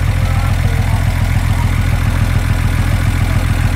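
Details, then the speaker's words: VW Jetta first run in years on a straight pipe, fan switch not yet working: steady even low idle thrum, no knocks or misses; valves slightly ticky from new parts breaking in, considered normal; sounds great. "oh man it sounds so good now you got to keep in mind that the valves are going to be a little ticky uh due to the fact that it's it's got to break in everything that's in there but it sounds great"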